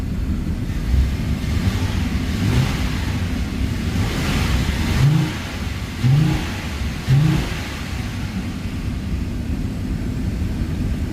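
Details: Audi A5/A6 3.2L engine after internal coolant leak repair, hot, heater on high, coolant being bled: low, even hum with soft swells, no knocks or misses; smooth healthy warm idle.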